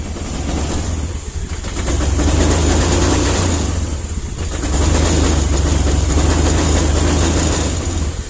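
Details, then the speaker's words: Old first-model Honda Vario 110 scooter: fine at idle, but revving up it runs rough, stumbling and popping; engine dies when horn or turn signals are used; electrical wiring being rebuilt. "Namun, saat pedal gas diputar, mesin mulai tersendat dan mengeluarkan suara letupan."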